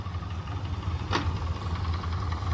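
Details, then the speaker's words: 200 hp Yamaha inline outboard after cylinder head rebuild (valves, seats, stem seals, head resurfaced), idling in gear on a stationary load test with the cover on: steady low even idle with one brief clack, slightly rattly; bucket lifter adjustment possibly imperfect; seems fine. "that's in gear. I guess with the engine cover on it, you're really not going to hear that, but it seems to be running fine."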